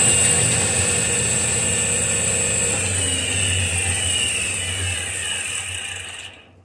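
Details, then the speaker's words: Iveco alternator on a bench with a battery and test lamp connected: steady high whir and low hum, tone sagging as the faulty overrunning (freewheel) pulley slips and the rotor stops — slipping alternator overrunning pulley. "Vocês viram? Ele ameaçou carregar, né? Mas como a polia tá patinando, provavelmente o rotor ficou parado."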